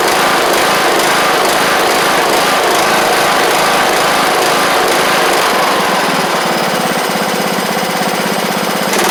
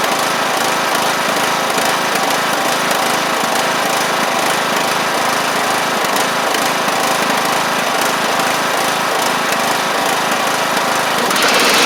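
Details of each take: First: John Deere LA100 riding mower (5-speed transaxle), sat a long time with water in the tank and hard starting blamed on valves, now running off choke: loud, busy single-cylinder buzz at steady speed, no sputter or dropouts; runs evenly, though the spark plug is suspected to have failed. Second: John Deere LA100 riding mower, long-sat, hard starting from valve issues, after cleanup: a loud, buzzy high-revving engine whose speed rises and falls slightly, a tiny surge left at higher RPM. Owner suspects it ran on a wired-up choke for a long time.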